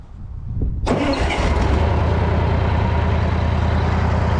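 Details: Old Bobcat 600 skid steer restarted in an update after the makeshift variable speed drive repair: cranks, catches within a second, settles into a steady even low rumble with no knocks or misses; healthy idle.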